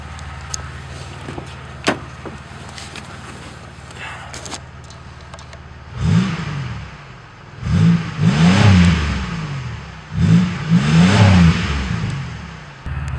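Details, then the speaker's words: 1999 Chevy Lumina sedan after its rotted muffler was replaced with a Magnaflow 14325, no tip fitted yet, heard outside: a low, clean, quiet rumble at idle, then three throttle blips rising and falling cleanly. No rattles or drone. "Oh man, that is completely different now. It's a much lower tone. It's clean. It's not too loud. It just has a nice, quiet rumble."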